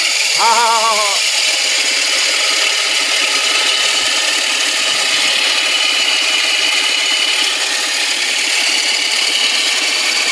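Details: BMW 1 Series five-door manual: throttle blip brings a loud, harsh, mostly high-pitched hissing rattle under the hood that comes and goes intermittently; source part not yet identified.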